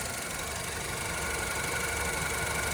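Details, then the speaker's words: 2013 Honda Civic with about 136,000 miles, idling after the never-serviced PCV valve was cleaned. A steady, even idle with a smooth hum and no misses, knocks or hunting; normal. "I think this engine actually works smoother now after the PCV was cleaned."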